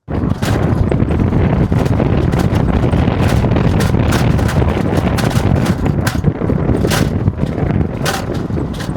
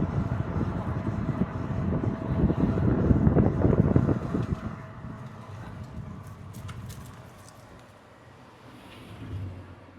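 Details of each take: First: Tesla Model 3 driving: sharp irregular clicks and rattles over road rumble from loose plastic aero wheel covers, fixed by checking the metal parts and securing the covers with cable ties. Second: Tesla Model 3 driving after fix: plastic aero wheel covers refitted and secured with cable ties, smooth road rumble with no rattling or clicking from the wheels anymore.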